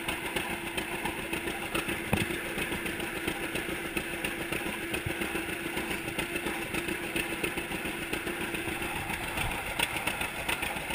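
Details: 1942 John Deere Unstyled A conversion, engine formerly stuck, on its first start after new spark plug wires (GoPro in waterproof case): even, low two-cylinder putt-putt at slow idle, steady without misses or knocks; running well.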